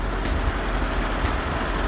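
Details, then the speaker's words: 1982 Datsun 720 4x4 King Cab, 5-speed, one family owned, freshly tuned up (plug wires, cap, rotor, oil change), hood open: steady even low rumble with no misses, knocks or ticks; normal idle. "under the hood looks just as good it runs really really good"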